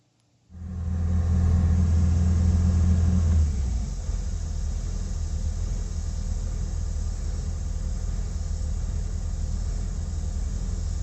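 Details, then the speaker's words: Prevost bus, Detroit 8V92TA DDEC2, after fitting new rebuilt injectors to replace ones with stuck plungers: the diesel settles into a steady, even idle rumble with no surging or hunting, a normal idle. "It's like, there's no more surge or anything there. The engine's running real smooth there."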